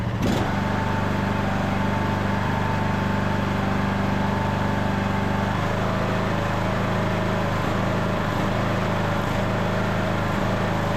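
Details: Craftsman LT2000 riding mower, air box and air filter off, on fresh gas: a steady full-throttle drone with a noticeable speed drop. This is a mild surge; the owner suspects the missing air box and filter, and it seems to be improving.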